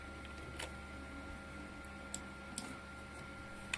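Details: 1 TB hard drive clicking, scanned with Victoria: faint hum with sharp irregular clicks about half a second apart; heads retrying on damaged bad sectors, fixed by cutting the drive's capacity to exclude them.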